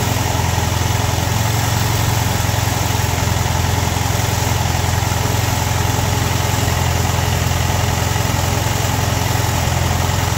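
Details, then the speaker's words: Ford M151A2 MUTT jeep, 141.5 cu in engine, stored 20 years, at startup with about 48 psi oil pressure: steady, even low idle with soft regular pulse, no knock yet; rattle arrives seconds later. "Sitting there purring like a kitten. Got about 48 PS of eyes."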